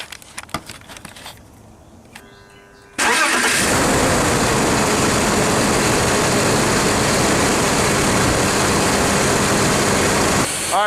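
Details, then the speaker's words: BMW E46 inline-six after replacing all 6 fuel injectors: short crank catches cleanly, then strong even running with no misfire or stumble; motor sounds good. "All 6 injectors swapped out. Motor sounds good."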